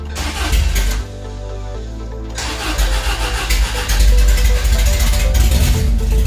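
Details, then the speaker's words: First start of a freshly rebuilt Guy Croft spec twin-cam engine in a FIAT Spider, with no exhaust fitted: brief cranking, then a loud open-pipe idle and a clean blip; oil pressure, fuel and timing were set beforehand; healthy. "yeah there's no exhaust so it's going to be loud"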